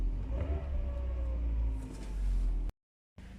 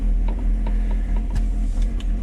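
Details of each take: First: 1999 Mercedes SLK 200 R170 after a throttle body clean that cured rough, surging idle; low, even idle holding steady at about 800 rpm with no hunting, fuel pump faintly audible; normal idle. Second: 1999 Mercedes-Benz SLK 200 (R170), which had been idling rough and surging at low rpm, just after a throttle body cleaning, in neutral with the hood open; idle is low and uneven with stumbles and faint ticks, searching while the computer relearns, possibly with leftover liquid cleaner.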